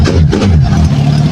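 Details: Motorcycle whose complaint is not starting in the morning, left overnight on a battery charger and started the next morning: steady low engine rumble with even pulses and no stumbling; starts and idles normally.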